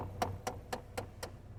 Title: CHEVY HHR AC/HEAT CLICKING NOISE